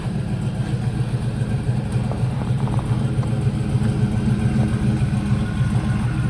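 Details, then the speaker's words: 2019 Silverado V8 with smaller performance cam, after tune-up, started and settling to idle: steady, even low rumble with smooth lope, no knocks or ticks; runs real good with great oil pressure, normal idle. "comes down to an idle it's to start up there we go yeah no no she she's runs real good it's got great oil pressure"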